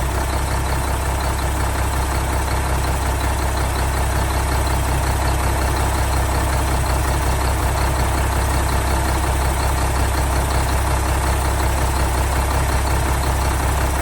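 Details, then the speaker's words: 1975 Mack FR700 8x4 twin-steer diesel, first start in many years after bleeding fuel to injector ports: deep, steady idle with even low thrum, no knocks or misses just after start; normal diesel idle. "Well, she's a goer. Success."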